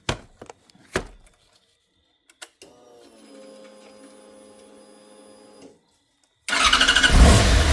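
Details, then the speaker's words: Yamaha YZF R6 motorcycle, priming air out of the fuel system after long sitting: clicks, steady pump hum about three seconds, pause, then engine catches and runs strong and even; normal start. "That sounded better. I think one more might get it. Definitely sounding a lot better."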